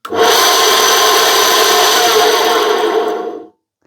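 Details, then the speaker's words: Dusty, likely belt-driven charity-shop appliance, long unused: a harsh rasping whirr with an uneven rub about three times a second. Tired bearings or a worn belt are suspected, not confirmed. It tests electrically safe with a good earth. "The bearings sound a little dodgy and could be the belt. I think there's a belt drive in there. The belt might be a bit worn."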